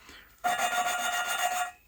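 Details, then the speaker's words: Jaguar XJS V12 6.0 cylinder head, valve being hand-lapped with fresh compound: coarse, gritty rasping scrape at the start. Normal for lapping; the sound softens as the grit breaks down. "now you should be able to hear at first that it's really gritty it's an awful sound it's like metal filings on metal it's a sound you wouldn't ever want to associate with an engine but for this it's what we want to hear"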